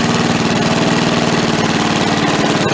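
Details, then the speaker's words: MTD push mower after carb cleaning: fast, even single-cylinder putter stays at the same idle speed with no rise although the throttle lever moves; the linkage spring was misfitted when the carb was refitted. "I'll try throttling it up here. It really doesn't do anything. I can move the throttle."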